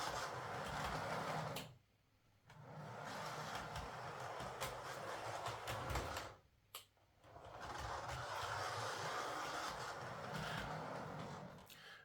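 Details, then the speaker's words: Hornby Class 67 model locomotive (EWS livery) after overhaul and re-securing a loose wire thought to be hitting the drive shaft: faint continuous scraping rasp on layout curves, worse in one direction, absent under load; cause still unknown. "okay it's still making a bit of a scraping sound going around the curves um it's not too bad in this direction just very slightly but in this direction hear"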